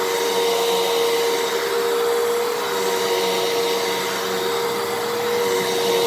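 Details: 12 Amp Fantom Fury upright vacuum, made October 2000, after clog repair, cleaning carpet: steady high motor whine at constant pitch with even airflow hiss, no rattle or surging; normal healthy running.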